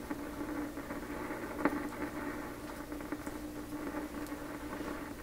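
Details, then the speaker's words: 1928 RCA Victor Model 28V radio after capacitor rebuild, antenna connected: steady hiss with scattered irregular pops and sharp clicks over faint reception; crackling output, cause undetermined. "Okay, I don't like all the pops and clicks, but here we go."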